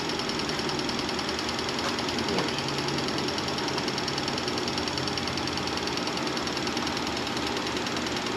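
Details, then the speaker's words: 1988 Chevrolet Monte Carlo SS V8 sitting since the 1990s, running off the tank: fast, fairly even light ticking, about three per second, over a steady idle; noisy hydraulic lifters, hoped to quiet with running. "Hopefully, these lifters quiet down cuz uh they've been raising cane. So, let's let it run some more."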